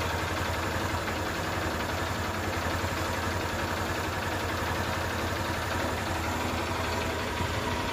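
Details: Honda Shine single-cylinder bike after a full engine rebuild, first start after refitting; steady even idle with no knocks or rattles, healthy and well set up.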